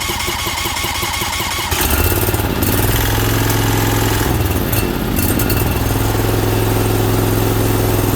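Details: Briggs Vanguard 20 hp V-twin at first start after oil cooler install, with the oil filter and cooler still filling, throttle backed off from full and choke worked by hand. Lumpy and rough at first until fuel arrived, then it evens out strong; normal running.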